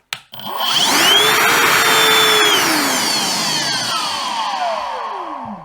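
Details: Milwaukee Packout vacuum cleaner on battery, partially faulty fuse found, running on both speeds: motor whine climbs quickly, holds a steady high pitch, then winds smoothly down after switch-off; normal motor run.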